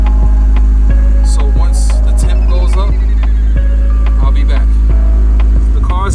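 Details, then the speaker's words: 1997 Honda CR-V after replacing the fast idle thermal valve, which had let warm revs bounce between 1,000 and 2,000 rpm; now warmed up to temperature, the idle is low, even and steady with no surge; normal warm idle. "up to temp and no idle surge see cars up to 10 no idle surge so guys i officially fixed it"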